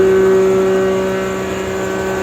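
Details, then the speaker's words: Nut-and-bolt restored John Deere 6A hammer mill, converted to a 3 hp 220 V single-phase motor: starts without hesitation, smooth constant mid-pitched hum at full speed, no rubbing, knocking or bearing growl; runs healthy. "You can see it fires right up. There's no hesitation on startup. That 3 horsepower, 220 volt motor starts strong and runs strong."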